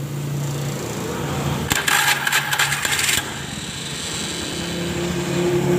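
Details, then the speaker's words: Honda Beat FI scooter, never serviced, complaint of rough CVT noise: after a brief rattle at restart, steady, even idle; engine is normal, the rough noise blamed on the dynamo. "normal ya teman-teman suara motor ini halus"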